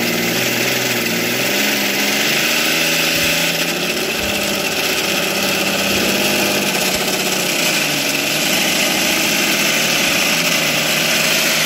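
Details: Philtech V12 model aircraft engine, 108 cc liquid-cooled two-stroke glow engine with miniature radiator: steady buzzy idle with a fine, even high-pitched rasp holding its speed, running smoothly once warm; normal idle.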